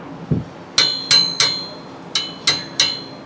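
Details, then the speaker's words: 1957 VW Beetle rattle hunt after hitting a curb: six sharp taps each leaving a high, clear metallic ring that dies quickly and stops when damped by a finger; owner suspects the peashooter exhaust tip, not confirmed. "I think it's this damn peashooter. Grab my mic. I don't know if you hear the ringing, but it definitely has one,"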